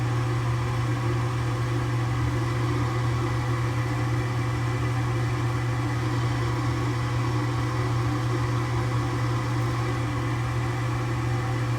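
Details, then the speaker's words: Furnace with new inducer motor replacing one seized by a bird inside: steady low electric hum with faint fan whoosh, no rubbing or grinding; inducer running normally. "run in about about 46 amp and motor right in like 1 aamp something like that it's within range"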